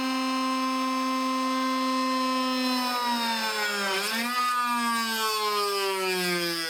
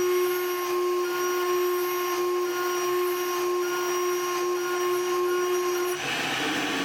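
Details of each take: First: Shariff DMC2 CNC cutting 6061-T6 aluminum with a 12 mm tool at maximum load: a steady spindle whine sags sharply and never recovers, then the e-stop is hit. The spindle stalls under overload. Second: Shariff DMC2 CNC mill, 2 mm end mill at the maximum cut the tool tolerates, then an even heavier cut that breaks it. A steady high spindle tone with a hissing cutting roar holds pitch without bogging, then drops off.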